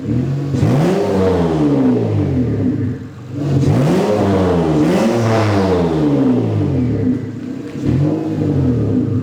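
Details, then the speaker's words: Turbocharged V6 Honda Accord with new intercooler piping, no tune yet, still burning some stuff off: three light revs climbing and falling smoothly with a faint turbo whir; healthy, normal revving. "Definitely still burning some stuff off, but that sounds awesome."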